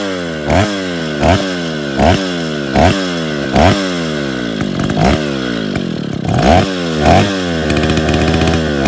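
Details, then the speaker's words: Freshly rebuilt Stihl 070 chainsaw, with no bar fitted and the choke and clutch still needing repair, revs in even bursts about once a second, crisp and clean with no misfire or rattle; it is running healthy. "senhores, pegou, funcionou."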